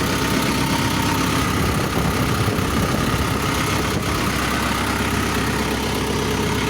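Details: SH210-5 excavator at 9,000 hours after service: steady, even diesel drone with deep low rumble, no knocks or rattles; rpm 1600 in A mode, 1700 H, 1800 SP, pump pressure normal 36–37; engine running healthy.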